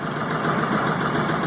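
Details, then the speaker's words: LS XR4155 diesel tractor at idle with the throttle fully down, near 1200 rpm: uneven, lumpy clatter, missing on a cylinder on its own; misfire, cause not confirmed (owner hopes water in fuel). "the brake sounds like it dropped a cylinder it's not far in one cylinder"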